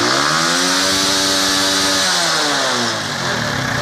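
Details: Honda CD70 after fitting a Euro 2 carburetor choke lever: a crisp single-cylinder buzz climbs steadily, holds, then drops back smoothly with no stumble or rattle. Normal revving.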